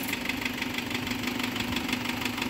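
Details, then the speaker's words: Isuzu Trooper 4JX1 diesel idling with a sharp regular metallic knock, about six or seven a second, over a steady hum. There is no blow-by and the source is still being identified. "may kakaibang knocking sound ngayon i-identify natin kung saan nanggagaling"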